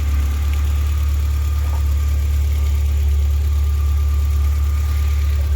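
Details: Mk2 Golf, fast idle with heavy drone and uneven beat after a vacuum hose was resealed; with blue temperature sensor plugged in it idles high and misfires, unplugged it runs fine: suspected faulty temperature sensor.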